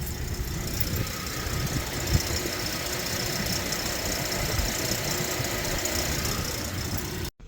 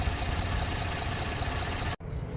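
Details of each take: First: Warm idling Ford Explorer EcoBoost: buzzy metallic rattle from the exhaust down/mid pipe flex section once warmed up; owner planning a cheap fix with worm gear clamps and exhaust wrap. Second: Ford Explorer EcoBoost, warmed up, after cheap fix of worm-gear clamps and exhaust wrap on rattling mid-pipes: steady, even idle with a low rumble and the exhaust rattle completely gone.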